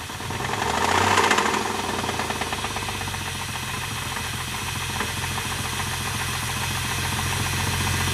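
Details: Dodge Dakota 3.9 V6 petrol idling just after start: steady knock close to four beats a second.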